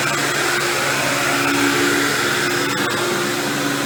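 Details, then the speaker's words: Dirt Devil Deluxe 8201 upright vacuum with new bag and belt running over carpet: steady motor roar with gritty grinding from worn brushroll bearings, not the motor. "you hear that grinding noise you're hearing I'm lying down is actually just the brushroll I mean I know it's the brushroll"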